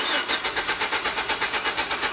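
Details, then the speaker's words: 2006 GMC Sierra V6 that ran rough, then died; the owner had already replaced the distributor cap, rotor, plugs and wires. A steady starter churn with no firing, and no ignition-control pulse at the coil. Crank no-start, no spark. "absolutely not so we have no spark control at the ignition coil now it's time to do some research"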